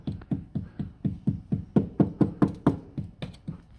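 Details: 2006 Toyota Auris SR180 sill, light hammer taps about two a second: each a dull flat thud with no ring where the sill is rusted thin, solid elsewhere; corroded sill needing MOT welding.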